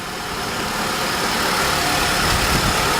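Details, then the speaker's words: 2008-2013 Nissan Rogue at idle after A/C compressor clutch replacement, belt refitted: steady even compressor hum with no grinding, chatter or squeal; new clutch engaged and spinning smoothly, A/C repaired. "Yeah! There we go. There's our proof. The clutch is engaged and spinning, smooth and soundless."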